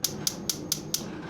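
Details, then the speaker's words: Monument Grills Mesa 400MF propane grill's electronic igniter right after battery installation, giving crisp sharp clicks about four a second; normal igniter sparking. "Thread this back down till it stops. And if you can hear that clicking, we know our igniter is"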